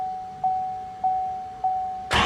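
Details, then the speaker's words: First start of a new LML Duramax diesel long block with a cam: chime pinging, then the engine catches at once into a firm, even run and is shut off immediately; clean start. "So, there you guys can hear the truck did start. However, I immediately shut it off."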